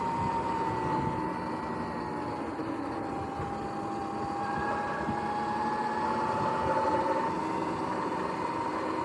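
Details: Sur-Ron X electric bike riding: steady mid-pitched whine drifting with speed over road and wind noise; the primary belt started making weird noises, cause unclear.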